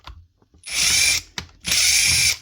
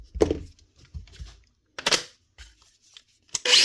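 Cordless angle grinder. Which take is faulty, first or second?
first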